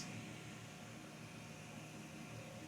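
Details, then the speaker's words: Alfawise U20 large-format 3D printer cooling fan running very loud close to the microphone: a steady, even airy whoosh with a faint hum and no ticking or rattle; probably the strongest cooling seen on a 3D printer, running normally. "whoa whoa that's quite loud you can probably hear it really loud from the microphone hold on maybe I can move the microphone with it that's really loud"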